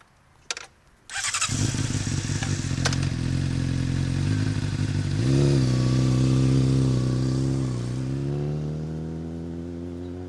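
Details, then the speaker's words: 2007 Honda CBR600RR, recently bought, starting and revving before a drive-by exhaust demo; revs rise and fall cleanly with deep, even exhaust note, no popping or rattles, sounds healthy. "but yeah I'm just going to do a quick drive by so you can hear the"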